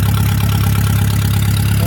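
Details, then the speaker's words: Rebuilt Palmer M60 marine engine, previously with water in the oil, test-running in its shipping cradle with no muffler, a short exhaust pipe and the drive shaft idling in neutral; low, even, smooth burble with no knocks or misses. "as you can hear she runs really beautifully uh there's no muffler on there no water muffler or anything"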